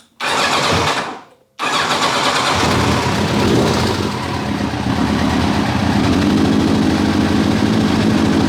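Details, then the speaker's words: 1990 Kawasaki ZZR1100, warmed with a little choke, suddenly running rough; uneven lumpy burble with irregular beat, no power, no ticking or banging; owner suspects a dropped cylinder, running on three, not confirmed. "it's just it's like a burbling and like there's no power behind it and it sounds rough um yeah there's no ticking and banging and all that stuff it's just no guts to it"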